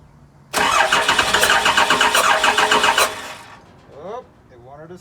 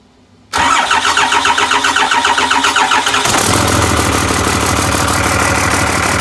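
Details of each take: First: Cummins diesel with VP44 pump, 199k miles: steady fast cranking about four beats a second with a few ragged catches on a little ether that never take hold; crank no-start. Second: Cummins diesel with VP44 pump, 199k miles, 2000 engine harness rewired to a 99 engine computer after a no-start, fired with a temporary intake fitted: short crank, then it catches cleanly and settles into a steady, even idle clatter with no misses; normal start.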